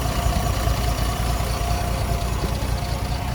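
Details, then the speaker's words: Unrestored 1969 Toyota FJ40 with 28k miles, stone cold with no choke, after a carb rebuild, valve adjustment and cracked exhaust manifold repair: a steady, even, smooth low idle with no knocks, ticks or misses. Normal cold idle. "This hums along. When I bought it, it had needed a valve adjustment, had the exhaust leak, and all that kind of stuff. So now she's just tight and smooth. Great running truck."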